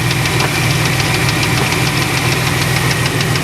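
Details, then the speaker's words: 1994 Chevrolet Astro Van at idle with a sharp tapping knock, about three per second, over a constant hiss. The knock happens with the belt on or off, and the owner plans to investigate the upper end. Engine knock, source not found. "you hear that noise from the engine now this does it with belt on or belt off and I'm going to attack it from the upper end"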